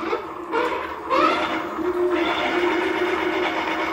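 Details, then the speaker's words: Pedal Electric AWD II e-bike with error 8, rear motor connection swapped to front motor for diagnosis: steady hum and faint even whine under throttle, no grinding; error 8 gone, motor runs normally. "So you see that is working and the error 8 is gone. So this is the rear motor connected to the front one."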